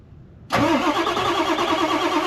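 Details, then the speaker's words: Ford F350 7.3 Powerstroke diesel, sat about a year, cold start around 35–40°F with no block heater after glow plugs cycled: short crank, fires at once, even idle with steady rattle; some smoke, owner suspects turbo; normal cold start. "not too bad for a 40° day with no block heater it's got some smoke I think it's coming from the turbo"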